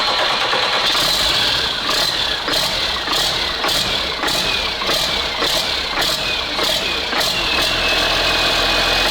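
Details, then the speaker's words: CASE 6TA-830 diesel in an abandoned ZIL-4975, started after priming the oil: an even idle with a light, regular tick about twice a second, no knocking, running quietly with no smoke at all, a normal idle. "Шепчет, блин, шепчет. Дыма нет вообще."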